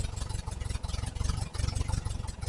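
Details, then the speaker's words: 1968 VW Type 3 with original Bosch fuel injection: lumpy, stumbling idle with irregular thumps and dropouts; owner suspects massive vacuum leak at unclamped intake manifold hoses, to be fixed with hose clamps. "It's going, but it's not catching. Why? Why? Not recommended. Son of a gun. All right, whoever who do these things on, there's your problem. Massive vacuum leak is what I'm going on."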